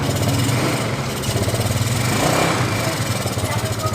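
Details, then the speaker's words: Yamaha Mio Sporty scooter, small single-cylinder, after fixing dead electrics caused by a bad wire connection at the ignition key switch socket, running on a spare bottle as fuel tank: catches and settles into steady, even low putter; normal running. "sudah bisa hidup ya teman-teman ya di kontaknya"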